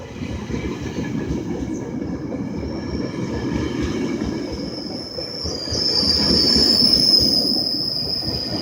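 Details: GO Transit train 362 departing Oakville; thin steady high squeal over rolling clatter from coach 2829, attributed to a bad wheel bearing.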